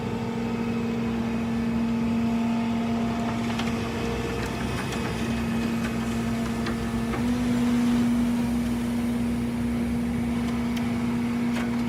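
A steady mid-pitch whine holds over the running vehicle and shifts slightly in pitch, pointing to a noisy, failing transmission.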